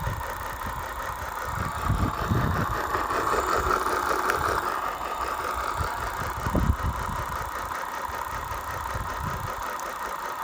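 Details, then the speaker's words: Bafang BBS02 750 W 48 V mid-drive e-bike motor after about 1600 miles, running with the chainring off: gritty grinding rumble from the main helical drive shaft bearing, which has heavy play and is packed with dirt, water and old grease. "I'm getting the dreaded grinding noise when it's turned on so I stripped off the front chainring and it now sounds like it's coming from here which would be the main drive shaft bearing"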